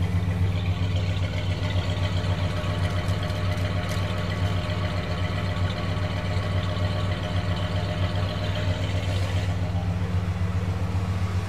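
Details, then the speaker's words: Chrysler 440 RB big-block wedge V8 in a classic car, just tuned up with new spark plugs: deep, even burble at idle, steady low rumble, no ticks, knocks or misses; smooth running with a great exhaust note. "no ticks no knocks [Music] nothing just smooth 440 power and a great exhaust note"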